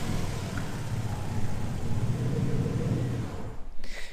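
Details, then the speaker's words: Twin-turbo Ford Capri with a new vacuum leak; low, lumpy idle rumble that won't settle, revs wandering slightly. Idle hunting; cause not yet pinned down. "position where she was hunting then on the when i opened up the frontal body a touch was where it used to be set idle so clearly i've got a bit of an issue somewhere"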